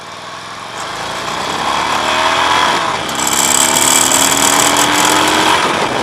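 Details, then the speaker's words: Harley-Davidson Nightster 1200 ridden under hard throttle: a harsh metallic chatter rides over the climbing revs the whole way. Occurs only under aggressive acceleration, and the cause is unresolved after four dealer visits. "And it's fairly consistent. I mean, it'll do that every time I give it good throttle."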